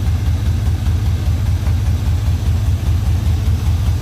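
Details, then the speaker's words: LS-swapped OBS Suburban at idle: a deep, loud, lumpy idle with a raw open rumble. Owner says it runs well and the sound is just a poor exhaust, not a hidden engine fault. "Now I do sound like I got something that's hidden, but the reality is with it, y'all, it's just a shitty exhaust."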